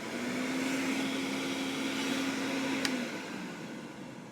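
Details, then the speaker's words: Vintage Hoover 419 cylinder vacuum cleaner, first power-up before refurbishment and suppressor removal: steady, even motor hum with smooth airflow rush for about three seconds, then winds down; good suction, normal motor run. "oh that's amazing the sound on it there's really no bad suction on it at all"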